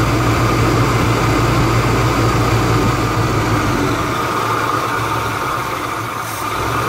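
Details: Chevrolet Malibu Classic, first start in about ten years, after adjusting the electric choke: steady, even engine drone with a low constant beat, no knocks or misses; runs smoothly and holds speed.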